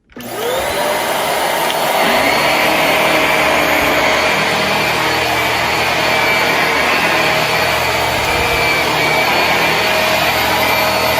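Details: Dirt Devil upright vacuum with HEPA exhaust filter at start-up: motor spins up within a second to a steady high whir with a constant whistle; smooth even run, no rattles, normal.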